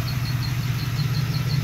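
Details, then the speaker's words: LT1 V8 idling with a quick high chirping squeak about five or six times a second from the freewheeling mechanical fan before its clutch engages, continuing briefly after shutoff; squeaking fan clutch. "okay so what's happening here about squeaking sun that you hear is the fan the mechanical fan right there it's a mechanical fan freewheeling"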